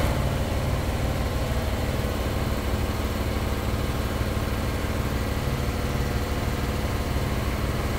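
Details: Broan bathroom exhaust fan: steady low droning hum with buzzy rattle; the fan isn't the noise itself, its vibration shakes the whole ceiling and rattles drop-ceiling fluorescent geometric light covers.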